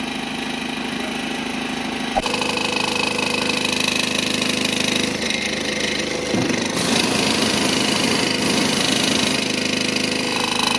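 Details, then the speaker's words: BMW 118d F20 diesel at idle with heavy shaking and busy metallic rattle at startup, caused by a broken DPF bracket letting the filter shake loose and a torn exhaust flex pipe at the front, before welding repair. "118D 차량이 지금 이상한 소음이 나서 입고가 되었고 지금 떨림이 굉장히 심하게 나고 있어요"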